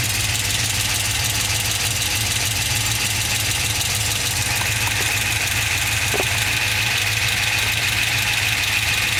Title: LS2 Ticking noise